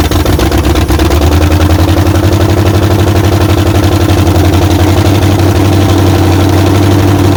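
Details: 1994 Chevy Silverado Z71 5.7 350 V8 just fitted with aluminum heads, first run: loud low idle with fast uneven ticking clatter about four per second on top; possibly loose rockers.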